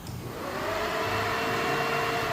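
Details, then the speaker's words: Car with an EFI conversion to MegaSquirt, first start, the ECU controlling the electric radiator fan off the coolant temperature sensor: fan spins up on high temperature and holds an even whoosh with a faint motor tone; runs normally. "fan came on straight oh temperature's too high oops so I can same deal here"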